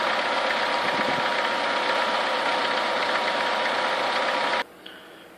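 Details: Chevrolet Niva engine warming up, between 50 and 70 degrees: sharp, regular tapping about four times a second over a hissy idle; a persistent engine knock whose source is unknown.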